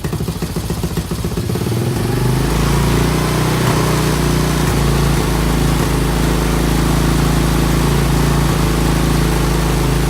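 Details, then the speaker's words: 1987 Honda TRX200SX ATV single-cylinder engine after carb cleaning and fresh fuel, cold weather: rough stuttering catch for a couple of seconds on start, then steady even putter settles in; clean healthy idle. "oh just got finished cleaning the carb and now listen to this baby purr"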